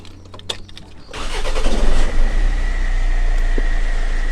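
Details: Land Rover Freelander TD4 (BMW M47 diesel) after new glow plugs, cleaned inlet manifold and sensor work, previously smoking white above idle: short crank, fires promptly, steady even idle, no misfire; smoke now gone. Normal start.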